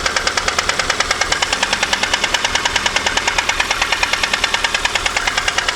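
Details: VAZ 2115 Samara 1.5 8-valve, strong ringing knock appeared in the morning: loud sharp regular metallic knock about three per second at idle; valves adjusted, owner suspects No. 4 piston, camshaft seems fine; engine knock.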